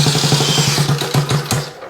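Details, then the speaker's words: Honda Z50 mini trail freshly rebuilt from a pile of parts, first start on the electric starter with choke: small coughs and catches, then quick even pops settling as the engine comes to life; no throttle cable fitted yet. "let's turn the fuel on and we have our electric starter see what happens maybe some choke who knows oh oh yes coming to life"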